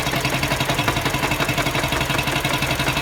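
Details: Mini Cooper engine idling with a sharp, regular metallic rap about three times a second, in time with the idle. Engine knocking at idle, cause unknown.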